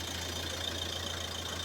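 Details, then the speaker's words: Front left wheel spun alone by the drivetrain after a new tie rod and tie rod end were fitted: a steady low engine hum with a light hiss and no howl or growl, so the wheel bearing sounds healthy. "Tutaj mamy ciszę."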